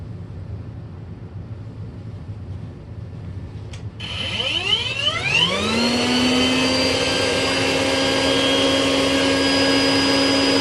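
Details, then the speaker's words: Rainbow Mate power nozzle after teardown and refurbish, formerly screeching, dirty brush roll had not spun freely; motor spins up smoothly to a steady even whine, no screech or scraping, now quiet: normal operation. "yep that is quiet as all get-out probably make some noise but I can't hear it over the b2 gold but that thing is just perfectly quiet no more weird noises"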